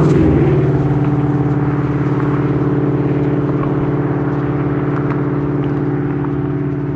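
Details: Ford Mustang with Coyote V8 after new exhaust and Y-pipe install fixing a months-long rattle (traced to a fender bolt): deep steady burble slowly fading, no tinny rattles or buzz; clean healthy muffler note.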